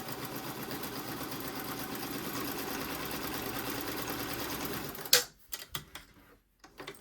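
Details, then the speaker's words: Vintage Pfaff 130 sewing machine test run after replacing its failing motor and foot pedal with new ones: fast, even mechanical whirr with steady rapid ticking, no stumbles or grinding; runs normally after the repair. "With everything plugged in, we'll give it a test run."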